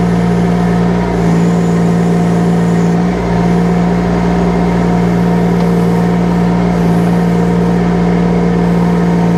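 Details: UHI UME12 mini excavator with 13 hp Yanmar diesel at full revs while working the boom and stick: strong, steady drone, even and unwavering under arm movement, no knocks or misses; healthy engine.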